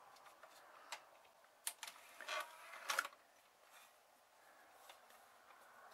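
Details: Dropped DVD player that had a DVD stuck inside, after cover removed and disc freed: quiet scattered clicks and soft whir as the tray pulls the disc in, no grinding or slipping; normal loading after fix.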